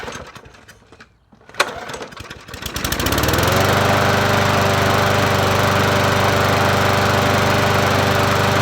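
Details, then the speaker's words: Murray 20-inch 4.0 HP push mower (20415x8D), cool day: a few pull-start tugs, then it catches and settles into a steady, even drone with no misses or surging; runs fine. "Sounds good for me. Let's try it again. Sounds good."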